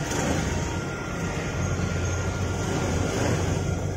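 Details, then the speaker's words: Honda Scoopy SP after repair, previously would not crank by starter despite a normal battery, suspected CKP sensor: engine now starts immediately and idles with a smooth even low hum; the fault was a loose/shorted wiring connector, not the CKP sensor. "kita tes sekali lagi langsung nyala ya jadi masalahnya cuma di sini bukan di sensor ckp nya ya"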